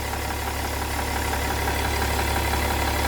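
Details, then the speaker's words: BMW E60 3.0d M57 diesel with a damaged exhaust manifold causing power loss and some smoke at the manifold: steady idle with a constant airy hiss over the clatter; exhaust manifold leak. "you can hear this like a false air running out and also when I'm actually reading sometimes there is a bit of smoke coming out from here so definitely there is some leakage"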